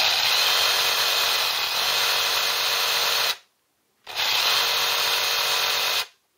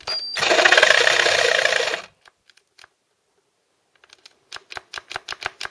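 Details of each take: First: Ryobi 18V One+ tool run from a 12V laptop power supply through a dummy battery case, off load, current peaking about seven at start-up; two clean bursts of even high-pitched motor whine about three seconds each; normal no-load running. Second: Ryobi 18V One+ tool run from a 12V laptop power supply via dummy battery case, cutting wood: motor whirs hard under two seconds then dies, only light clicks after; power tool cutting out under load, supply fuse blown.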